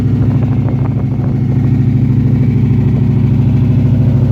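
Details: TVR SEAC Wildcat 5.3 idling: deep idle with steady rhythmic stumble about every 0.4 seconds through the exhaust; uneven idle pointing to misfire.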